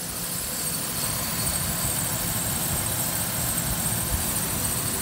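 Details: Idle of a 2008 Ford Ranger XLT 3.0L V6, 2WD, 5-speed manual, 147K miles, no check engine light; even, smooth idle with steady hum, very quiet, no knocking or ticking, healthy engine.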